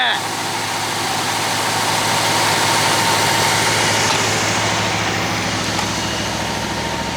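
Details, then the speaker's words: Abandoned 1966 Chevy Biscayne, numbers-matching 396 big block, warm at operating temperature: lopsided idle lope with one dead cylinder; a stuck ring is suggested but doubted, cause unconfirmed. "easier to listen to out here and you can't hear all the noise from the carburetor i still hear that dead cylinder"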